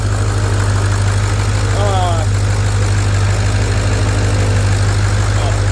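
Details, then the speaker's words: Ford 6.0 Powerstroke diesel on stock fuel with a newly fitted S369sxe non-VGT turbo: a steady, deep, even idle with a smooth low rumble and no misses or knocks. The owner says it now sounds like a 7.3, and it sounds healthy. "I can't get over how this thing sounds like a 7-3 maybe it's just me but it literally sounds like a 7-3 now"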